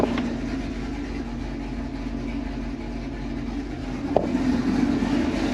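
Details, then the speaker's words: Z28 Camaro with stock LS7 V8 plus injectors, E85 and long-tube headers, before cam and cylinder head swap. Steady deep lumpy idle with even beat, brief blip near end; healthy idle. "it is a completely stock ls7 it's a stock ls7 with just injectors e85 and long tubes"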